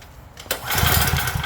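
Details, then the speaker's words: Craftsman generator no-start: one quick pull-start rattle with no firing. Spark was checked, fuel sprayed straight in and the carb bowl drained, with nothing happening. It leaves compression as the cause, found low. "And we have something with no compression. So, we checked spark. I put fuel directly in there. Nothing was happening. That leaves you to the final thing generally and that's compression."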